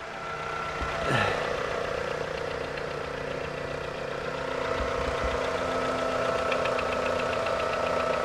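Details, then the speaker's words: 1998 Toyota Camry, about 157,000 miles, just after a new timing belt, water pump, oil pump and pan gasket: steady idle with faint regular ticking three to four times a second over a busy mechanical hum; belt-area noise quieter than before, source unclear. "sounds like she's running okay the timing belt stuff is definitely not as loud as it was before"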